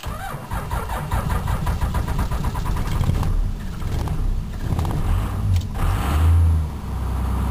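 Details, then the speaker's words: Ram Cummins diesel in about -19 °C (around -2 °F) cold, cycled twice before cranking: slow, laboured cranking drags on, then fires unassisted and settles into a rough, uneven idle; long cold crank then start. "there we go oh look at it putting the toll on the battery yay sign in without assistance"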